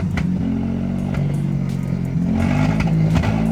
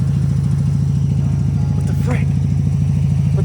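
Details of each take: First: Mazda RX-7 FB GSL-SE rotary, first start after sitting about 16 years, throttle held: loud, uneven drone with wandering throttle and lumpy pulses, smoke, slowly clearing up and smoothing out; rough running after long storage. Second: Mazda RX-7 FB GSL-SE rotary, idling on its own after sitting since 2007: steady, even low burble pulsing about three times a second with no misses or knocks; normal idle.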